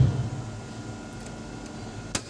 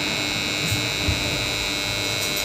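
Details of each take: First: BCH (BCH/Shakti) DOL three-phase starter contactor, energized after cleaning carbon off the contact faces: quiet, with only a faint steady low hum and the earlier buzzing noise gone. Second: BCH DOL starter for a 3-phase induction motor, energised: loud steady buzz from the contactor, which works fine otherwise; noise from dirty magnet faces not seating fully.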